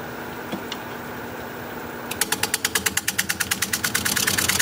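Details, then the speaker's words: Cracked juniper bowl blank on wood lathe at 550 RPM, held with a drill bit against separating: quick even ticking about eight a second, once per turn; hollow knock from the cracks, turned gently. "can you hear that how it sounds kind of hollow from all the cracks so I'm just going to be taking it real easy"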